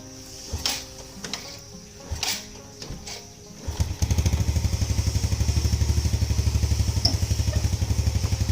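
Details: Yamaha Lagenda 115 single-cylinder, cold engine, hard-starting fixed with jet changes: after a couple of kick attempts it catches and settles into a steady, even idle.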